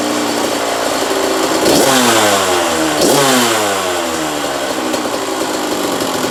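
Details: 1985 Kawasaki KX125 125cc two-stroke, in neutral: crisp blips rising and falling cleanly between revs, steady ring-ding idle, no misfire; motor sounds sweet, normal running.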